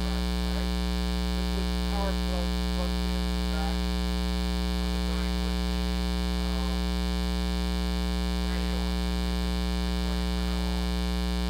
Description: Why the Bad sound? = because of trying to use the a/c adapter to power the camera while recording - induced the 60hz sound into the NEXT Eight video recording's of which I am NOT going to redo